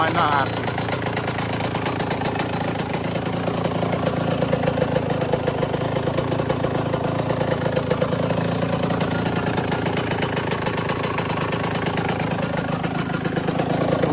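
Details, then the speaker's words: Yamaha YZ125 two-stroke after top-end rebuild, started in three kicks and warming up; crisp crackling idle at a steady rapid beat, even and eager; sounds healthy. "foreign up a little bit but three kicks that sounds good there"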